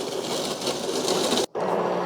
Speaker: you kind of hear the same sounds with the machine popping and grinding but what you hear with the espresso you hear kind of a pressure build up